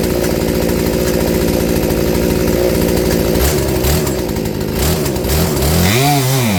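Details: Poulan 3416 chainsaw, previously hard to start and not staying running, with new Hipa C1M-W26 carburetor after adjusting a screw out: steady buzzing idle, blips up and drops back cleanly without stumbling.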